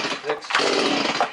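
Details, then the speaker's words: Freshly rebuilt Stihl MS180 chainsaw, compression confirmed, first start attempt with gas and oil: short rasping pull-cord bursts turning the engine over, never catches; owner suspects plug fouled by assembly oil in the cylinder. "Okay, I probably fouled the plugs of all the oil in the cylinder. I'm going to try again."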